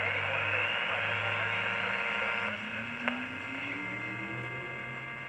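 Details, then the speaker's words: Panasonic R8 mid-1960s micro tabletop transistor radio: sound steadily sinks, thins and fades over a few seconds as a soldering iron heats the oscillator transistor; heat-sensitive failing oscillator transistor. "You hear that there? It kind of just like faded out. I took the soldering iron off before it completely cut out. It kind of just like slowly faded out."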